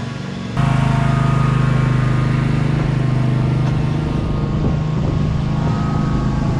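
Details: 2003 Wright Stander, 23 hp Kawasaki V-twin, after the wrongly hooked-up parts were corrected: catches and settles into a steady, even low throb with a smooth pulse and no misses. It runs properly.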